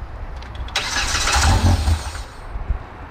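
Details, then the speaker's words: Side-by-side (RZR X3 or YXZ) wrecked in a trailer rollover: starter cranks, engine fires briefly and roughly then dies within a second; owners suspect a safety cutoff killing fuel pump or injectors. "but how would it fire unless it's just killing the fuel pump or injectors right after it fires right give it more gas man"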